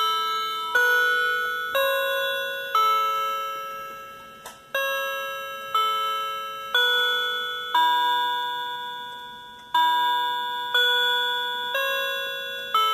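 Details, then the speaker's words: Cheap Chinese quartz clock mechanism with electronic chimes, button pressed: clean bell-like Westminster chime notes from a small speaker, each decaying evenly; normal electronic chime, nothing mechanical. "I'm going to demonstrate the Chimes the Westminster Bell and I can do it by pressing this button here and this is the little speaker that makes this sound"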